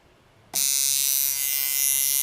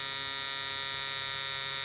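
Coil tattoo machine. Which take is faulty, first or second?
second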